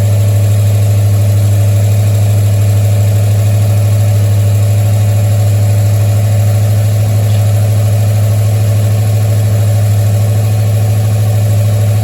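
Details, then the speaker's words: 1973 Mustang V8 after a 1G-to-3G alternator conversion, started while the voltage is monitored, reading 14.23 volts: steady, even low idle hum with no ticking, knocking or squeal; normal idle. "Now, as Joe is watching this voltage, I'll have Linda start the engine. Fire it up. 14.23 volts."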